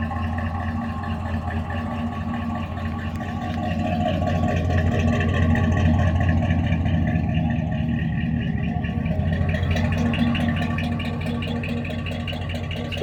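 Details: 1981 Chevrolet C10 with swapped TBI 350 V8 and Turbo 400 transmission, loud exhaust; deep, loud rumble runs steady and even with a slight swell midway, no knocking or ticking; sounds healthy, normal running.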